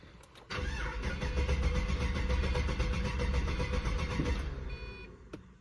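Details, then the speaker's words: Pontiac GTO with recurring fuel problems, fuel pressure earlier reading only 10 psi: brief crank, then catches quickly and settles into a steady, even idle at 50–55 psi fuel pressure; owner suspects pressure drops on throttle; normal start. "It's running good idle at 50, 55, but I think it's dropping when I hit the gas."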